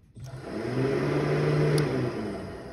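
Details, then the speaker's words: Car radiator fan run by shorting the fan relay terminals in the relay box to test the fan: a smooth, even whir spins up and holds steady with no rattle or scrape. The fan motor is fine, so the relay or the ECU signal is at fault. "see the fan is operating do it one more time you see the fan is running when I see the fan is running when I shot the relays"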